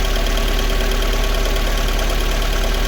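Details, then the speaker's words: Lada Kalina petrol engine at idle after a valve clearance adjustment: rough, uneven, stumbling misfire as a BRISK Silver spark plug arcs through; the plug is replaced with a used NGK plug. "чуєте як з перебоями робе троїть чуєте Ось вам і свічки бризка"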